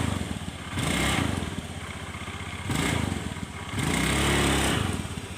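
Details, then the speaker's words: Carburetted Honda Scoopy scooter with slow, heavy, stuttering pull: engine revs hard in three full-throttle bursts yet the scooter won't move, sounding unloaded, pointing to a slipping CVT. "Saat gasnya itu diputar full motor itu masih belum jalan ya. Di gas full motor itu masih belum jalan. Pada intinya motor ini lambat ya, lelet ya."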